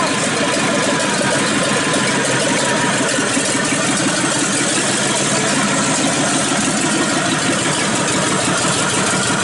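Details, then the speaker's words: 1951 Ford truck with swapped engine, first start after install; steady even running with busy hiss, no knocks or misses; smoke is paint burning off exhaust manifolds; fuel pressure gauge dropped to zero, alternator belt lost; sounds good. "well there you go that little bit of smoke you're seeing is just the paint burning off of the uh exhaust manifolds uh it sounds good"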